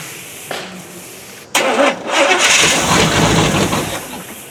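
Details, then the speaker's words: 1979 Chevy K20 V8, first start after winter storage, carb primed, on another battery: short crank, then it catches and roars up to a rough, uneven idle, a bit ragged at first. "see if we can wink this little dog up from its winter slumber i hope so"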